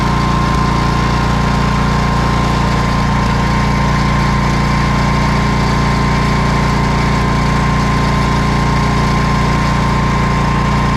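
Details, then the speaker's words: 1979 Kohler K301 12 hp single-cylinder engine from a Wheel Horse mower, after electrical and carburetor repair: even steady thump with no misses or surging, running smoothly; charging over 14 volts on a very dead battery. "so it's charging okay it seems to run pretty good"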